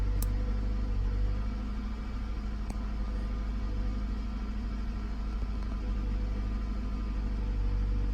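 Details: 2006 Toyota Camry engine with a low, uneven idle rumble and an irregular stumble about three beats a second. The misfire occurs only at low rpm; cause unknown.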